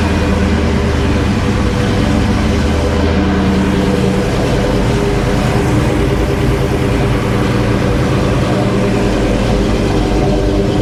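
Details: 1991 Fox-body Mustang V8 running after AOD-to-Tremec T56 manual transmission swap: deep steady rumble, even beat, no clunks, grinding or knocking; normal running.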